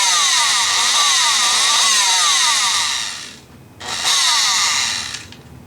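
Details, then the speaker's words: Rockwell Sonicrafter oscillating tool running: a high buzzing motor wavers in pitch, drops out and surges back when the speed control knob is moved, because the speed control is not holding its setting; the cause was a cracked resistor and bad solder joints under the potting. "so yeah we gotta it seems like we got a flaky speed control uh it's not uh when you turn it to a setting it's not holding it at that setting so"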